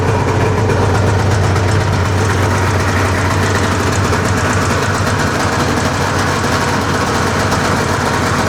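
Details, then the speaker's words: 1981 Arctic Cat El Tigre two-stroke snowmobile after adjusting both carb throttle cables and idle screws equally: steady, even idle around 1500 rpm with no hunting or misses; normal idle. "Seems like she's idling pretty good now. It's right right at around 1500."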